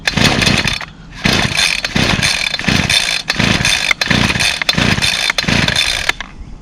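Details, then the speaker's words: Two-stroke string trimmer whose primer won't prime, being pull-started: raspy engine catches in short revving bursts and cuts out, refiring every second or so, not staying lit; fires but won't keep running. "started for a little bit there yeah it's not gonna start hurt prime it's trying"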